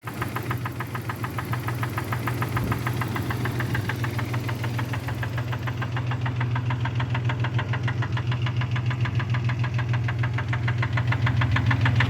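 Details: Engine at steady idle with a crisp, regular knock of roughly 200 a minute, growing slightly louder over the clip. The owner asks whether it is rod knock; cause not pinned down.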